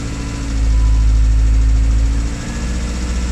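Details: Classic Rover Mini with points ignition, left three months without running: starter churns steadily a couple of seconds with no firing; cranks but won't start after sitting, cause not confirmed.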